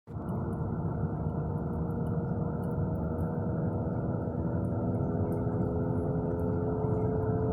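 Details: Car cruising over 20–30 mph makes a steady low roar and hum from underneath, from a worn left-front wheel bearing. No irregular tire wear, no play; replacing the hub assembly cured it.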